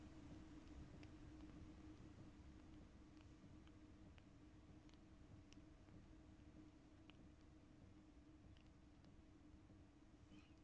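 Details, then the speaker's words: Chinese Webasto-type 8 kW diesel air heater in camper van set to minimum, heard inside the cabin in silence: very faint soft ticks about once a second from the fuel dosing pump, much quieter than before; normal pump ticking. "C'est hyper léger. Hier, on a regardé un peu la télé et c'est vrai qu'on entendait vraiment le petit tac tac. C'était sourd, mais on l'entendait."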